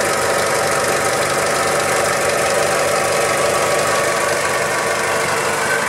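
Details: 2000 Toyota Hilux 5L diesel at idle, with timing belt and water pump already replaced: a light rattly, bearing-like noise and a faint high whirr in time with the engine; source not yet identified.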